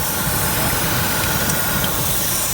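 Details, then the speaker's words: Chrysler petrol engine at idle, lumpy uneven rumble under a steady airy hiss; loud, owner suspects a vacuum leak (vacuum hose seen hanging), transmission fluid looks almost milky; rough idle, cause not confirmed. "Wow a loud one so it's probably a vacuum issue which is in the world but again you got to be conservative"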